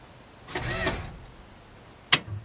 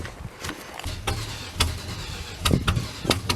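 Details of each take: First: 62-year-old Dodge that sat for 20 years: a short, quick starter whir spins the engine over freely with no drag or binding, then a single click; it cranks over fine. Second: 62-year-old Dodge truck, sitting 20 years, cranks unevenly, catches after a gap, then fires and revs on fuel poured in, heard at the exhaust; it runs only on poured fuel and needs a working fuel system.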